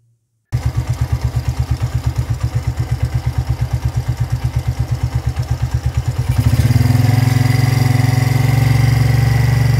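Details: Motorcycle engine after tensor replacement for a loud startup noise resembling valve-lifter or timing-chain clatter: idling with an even, steady low thump and no ticking or rattle, before music takes over.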